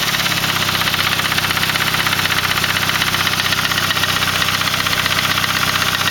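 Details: Saab 9-3 B205E engine at idle: even idle with a bright, busy ticking clatter riding on top at a steady rate; abnormal top-end noise, cause unclear.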